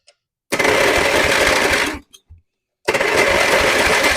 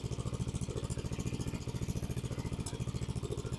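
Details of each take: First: Abandoned mower with melted plastic around the starter: harsh one-to-two-second grinding bursts with no engine catch, as the starter pinion strips its teeth and only about three good teeth remain. The starter is considered toast. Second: Free abandoned lawn mower, revived after seeming locked up, now no longer smoking because of the pipe: small single-cylinder engine pulses steadily at roughly three and a half beats a second with no misses or knocks; runs well despite a destroyed starter.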